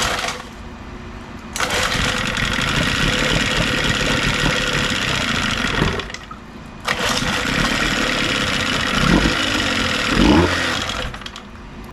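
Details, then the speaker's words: Old outboard boat motor being flipped, first run, adjusting idle mixture screw a quarter turn at a time: catches, runs rough and uneven, dies, restarts and stumbles; unstable idle, mixture not yet set. "we're basically going to be turning this little screw in and out a quar turn at a time until we find the perfect sweet spot where this engine wants to fire up and idle"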